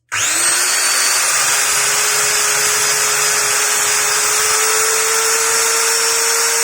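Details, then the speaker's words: Maktec MT90 angle grinder after repair of a total failure caused by a broken cable from the socket to the carbon brush holder at the winding: spins up instantly to a steady, even high whine with no rattle. Runs normally. "Mantap ya, udah nyala lagi guys. Jadi penyakitnya itu dari kabel soketnya ya, soket yang ke rumah karbon brasnya putus dari apa namanya gulungan"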